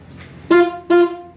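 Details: 1979 Chevy C10 found abandoned in a storage unit, powered by a booster pack: two short, clear honks with a strong steady tone, each about a fifth of a second; the horn works fine.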